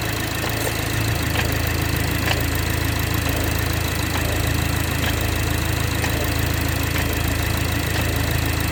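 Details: BMW 430i xDrive with B46/B48 4-cylinder, on cold start in cold weather: at idle a sharp knock repeats about every half second over the engine's hum. Abnormal cold-start knocking, source not yet identified.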